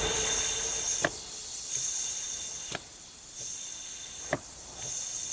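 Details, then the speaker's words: Cylinder leak-down test, about 26% leakage; steady air hiss heard at intake manifold, nothing at exhaust side, indicating leaking intake valves; engine needs rebuild. "So it's definitely coming out of the intake. If we go to the exhaust side, you hear nothing. So our intake valves are going to be the problem."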